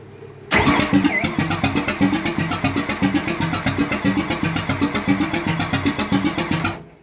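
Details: 302 Ford V8 with B303 roller cam and Windsor Jr heads, ran well the day before: starter cranks steadily about four compression pulses a second, never firing even with starting fluid; spark seen on one plug; crank no start.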